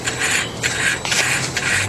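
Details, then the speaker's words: Variable-geometry turbo actuator, on a turbo with about 560,000 miles, driven by a homemade test controller box drawing about 1–2 amps: short bursts of light, smooth, even whirring as the vanes sweep back and forth with no binding. The actuator moves normally. "I'm a little fast you can hear it remove it you can hear it rolling around in her feet"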